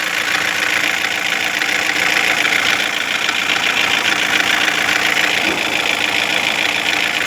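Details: 2016 Toyota Corolla idling, engine already replaced, knock getting louder: irregular light ticking knock three or four a second over hissy top end; unchanged with connector unplugged; engine computer suspected and to be replaced; unconfirmed.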